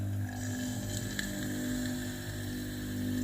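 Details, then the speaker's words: Philips GC9622/20 steam iron after its failed water pump was replaced: at power-on a steady low hum with a faint whine as the new pump fills the boiler and it starts heating. The pump is running normally. "เปิดเครื่องครับผมจะได้ยินเสียงในส่วนของตัวหม้อต้มนะครับต้มน้ำเลยนะครับได้ยินเสียงปั๊มนะครับผม"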